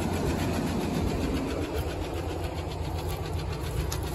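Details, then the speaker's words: 2000 Chevy K2500 pickup, long-parked parts truck, just started cold: low idle with fast light ticking, three or four per second, lifter tick expected to fade when warm; distributor loose, timing adjusted. "Fired right up. Wow. A little lifter tech, but as I remember, it goes away."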